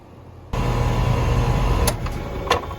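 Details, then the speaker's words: Pentair UltraTemp heat-pump pool heater (part 46932, made 2011), front cover open during maintenance: compressor kicks on and settles into a steady low hum with fan air, no knocks, rattles or grinding; normal compressor running, though it won't cool properly with cover open. "the compressor will kick on in 5 seconds everything sounds good from the compressor I don't hear any strange noises nothing that concerns me"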